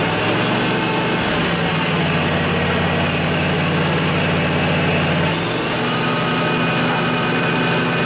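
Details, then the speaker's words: John Deere LA145 riding mower, Briggs & Stratton twin Intek, 48-inch deck, after replacing noisy spindle bearings, blades engaged; steady running, speed shifts twice, no grinding or bearing rumble; much quieter, deck healthy. "well I think that was a quite a bit quieter it's now I don't really hear any abnormal noises so I think we're good folks"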